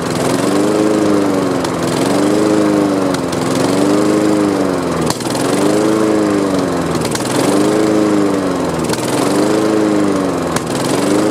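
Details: Honda HRX217 electric-start mower that sat outside for years, started by pull cord after carb cleaner was sprayed in, on old fuel. Pitch swells and sags about every two seconds, a hunting surge suggesting fuel starvation; owner plans fresh gas and a carb clean.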